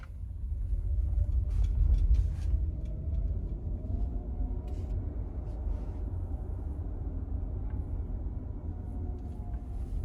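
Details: 2023 Genesis GV60 driving in cold weather (about 46°F, Alabama), after felt tape was wrapped around the hatch's four alignment points: only a steady low road rumble in the cabin with no rattle or knock from the back; the hatch is quiet.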